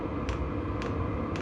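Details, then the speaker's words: VEVOR diesel heater fully running on lowest setting at 10 watts: soft steady fan hum with a crisp tick about every half second from the clicker dosing pump, which has slowed down; operating normally. "so that's that's fully operating clicker pump slowed down fans chilled out we're sitting at 10 watts and that's on the lowest setting"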